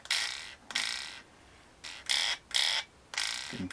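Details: Frsky X-Lite Pro gimbal after its spring tension was adjusted: six short rasping zips, each about half a second, as the stick snaps back with a firm, quick return.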